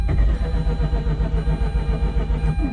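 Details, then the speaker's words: 2004 Mazda RX-8 rotary track car with makeshift intake, restarting hot after stalling: steady low churning crank that surges as if about to fire but never settles into idle; hard start. "Yeah, let's see if I could start it back up again. Almost. Almost at it."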